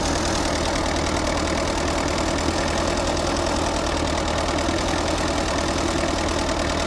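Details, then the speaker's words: Allis-Chalmers C tractor with a Woods L59 belly mower at its first start of the year. The idle is dense and steady with no knocks or stumbles; it runs smoothly. "Seems to be running good."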